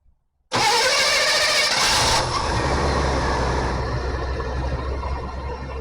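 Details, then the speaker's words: 1988 GMC stock truck after ignition module refitted, starter previously replaced: quick crank, catches straight away and settles into a steady, even idle with no stumbling; normal start and idle. "There we have it. Well, there we go. We got the parts back in. Truck's running good now."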